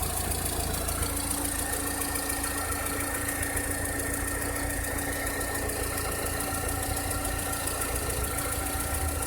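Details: 2006–2007 VW SpaceFox engine at idle: a steady idle with a thin constant whine on top and an uneven light tapping underneath; a strange engine noise whose cause is not identified.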